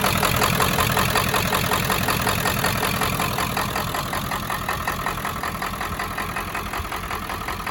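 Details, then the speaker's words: 1995 Ford F350 7.3 Powerstroke diesel running after sitting 10 years: a knocky idle with regular clatter near three per second and slight shake, like a miss; owner suspects glow plugs or injectors, and it sounds healthy when revved. "Not bad, but definitely has an issue. Sounds a little knocky at idle too, but"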